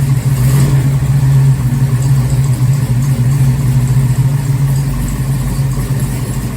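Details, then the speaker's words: 1969 Firebird restomod with a garage-built 494 stroked 455 Pontiac V8, first start and drive in nearly 20 years: deep, lumpy but even idle with a steady low burble, no knocks or misses. The fresh engine is running healthy. "so i don't know about you but that sounds uh pretty good for a 494 beast built in the garage here at home so it's running pretty good"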